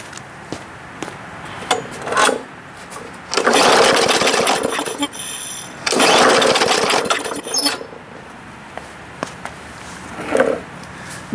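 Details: Bolens (MTD) 21-inch push mower that needs many primer pushes to start: fires in short ragged bursts of a second or two then dies each time; engine cuts out after startup, carburetor cleaning needed.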